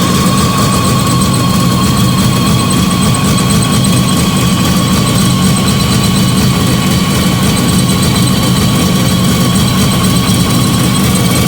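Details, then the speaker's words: Fiat 125 twin-cam on CNG after installing a new gas injector at the carburettor and the original air filter, idling just after starting; steady even smooth low hum, no misses or knocks, runs cleanly and very well. "Ahí está. Anda espectacular, Anda muy bien."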